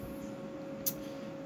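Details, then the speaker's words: CyberPowerPC with upgraded AIO liquid cooler, PC Cooler radiator fans running nonstop at about 1930 rpm; steady airy whoosh with constant mid-pitched hum; noisy fans, owner suspects the PC Cooler fans, unconfirmed. "can kind of hear it is a bit noisy but I think that's the PC cooler fans they because then these fans I mean they're ramping up to about 1930 rpm there none stop was the way I've got it set"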